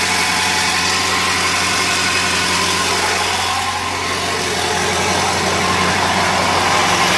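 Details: 2000 Ford 7.3L diesel: big diesel idling unevenly with a lumpy, loping beat and shaky note instead of smooth steady run; rough idle, cause not known.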